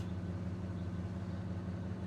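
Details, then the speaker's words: 1966 Ford Country Sedan V8 on first start after an engine overhaul, still cold: a low, steady, even burble with a deep exhaust note and no skips or ticks, idling well. "it's idling holy crap it's idling good too"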